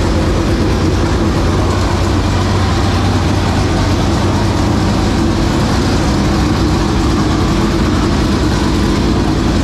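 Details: 465 cubic-inch V8 race engine, first start in three years and after getting improved fuel pressure: a loud, steady, deep, even rumble with no miss or knock; healthy race engine running.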